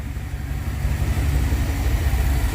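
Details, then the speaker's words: Freshly rebuilt Dodge 318 Poly V8, cold after sitting a few hours, fired right up without choke: deep, steady, even low burble with no ticks or misses, purring smoothly; oil leak at the oil pressure sender noted. "thing's just purring like a kitten I am unbelievably happy with this"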